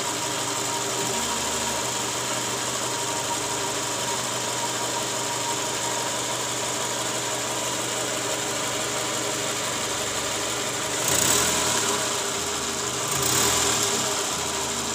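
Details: Toyota Camry 2JZ engine after replacing the balancer shaft and worn balancer bearings (likely worn from bolts not torqued to spec), complaint was rough engine sound: a smooth, constant idle with a couple of brief blips, no knocking or roughness, much smoother than before.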